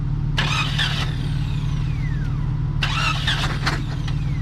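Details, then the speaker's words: Jeep Cherokee after a hard rollover, cranked on the starter with spark plugs removed to shoot oil out of the cylinders: fast, even spin with no compression pulses and bursts of hiss. "see if it'll freewheel over now yeah just crank it over see what it does all right a couple more of those do that once or twice more with a little bit more crank yeah"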